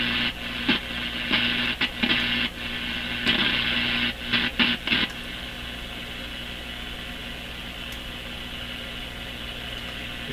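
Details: Grundig Satellit Professional 650 radio, shortwave band: steady hiss with bursts of crackle and faint hum, no clean signal; reception weak. Owner suspects poor alignment or an altered antenna input (antenna switch possibly removed); antenna input switching being checked, cause unconfirmed.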